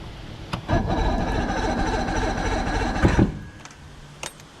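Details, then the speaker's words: 115 hp Johnson outboard on a bass boat, first crank in about 20 years, choked: about two seconds of slow, labored cranking with a brief attempt to fire; starter weak from an undercharged battery. "sounds like my battery needs some more charging that starter sounds really weak uh but you heard it try and fire right there so that's a good sign"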